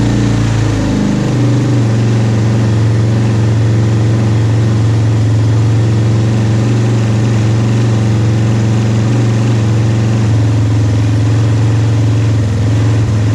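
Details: 2001 Yamaha Warrior 350 ATV, bought unheard, back running after carburetor work and stator replacement; single-cylinder catches and settles into steady, even idle with firm low thump, no misses or knocks; normal idle.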